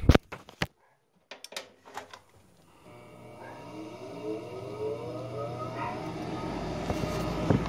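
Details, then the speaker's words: Goodman furnace with a faulty motherboard (3 flashes), induced draft motor bypassed by joining its exposed power wires at the second relay click: a few sharp relay clicks, then a steady motor hum as the inducer spins up and runs normally. "And at the second click, you put that wire nut and touch it together, and it'll ignite. This is how you bypass it."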